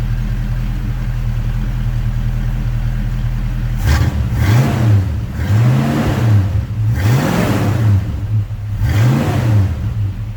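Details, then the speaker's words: 1966 Ford Mustang 289 V8 after fuel pump replacement: even idle rumble then four clean blips, pitch rising and falling smoothly with no stumble; runs healthy. "Now see, that's a good sounding motor. So that fuel pump did the trick, y'all."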